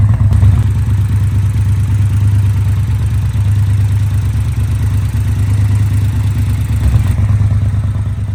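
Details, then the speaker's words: Triumph Bonneville Bobber 1200 twin at idle: lumpy, uneven low beat with occasional stumbles; an undersized, cracked spark plug cap arcing to the engine stops spark reaching the plug, causing a misfire; fixed by replacing the caps. "so what you basically saw there was um spark plug cap uh is arcing on the engine so the sparkk isn't actually getting through to the spark plug"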